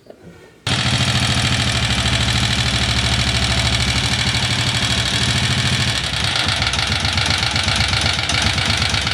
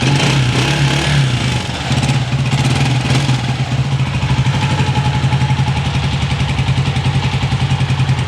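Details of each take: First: Honda CG 125 single-cylinder motorcycle engine idling unevenly before repair, with fast, sharp metallic tapping loudest at the top end. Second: Honda CG 125 after repair of an engine tik-tik sound (tappet, cam or rocker): steady, even single-cylinder thump settling into a regular idle after a blip, no tapping or rattle from the top end; runs healthy.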